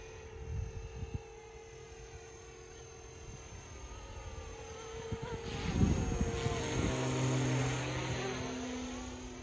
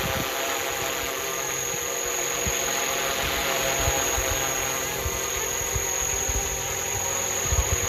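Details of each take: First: FlishRC AS350 450-class electric helicopter, 4S LiPo, 2500kV brushless main motor, separate tail motor on 60A dual ESC, hovering: thin high whine wavering and climbing as tail motor works, intermittent; tail motor whine. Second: FlishRC AS350 450-class RC helicopter, 2500kV brushless motor with 12T pinion on 150T main gear, 4S LiPo, 60A Flywing ESC, flying in manual mode: steady high electric whine with an even rotor buzz, no wobble, rattle or surging. Normal flight.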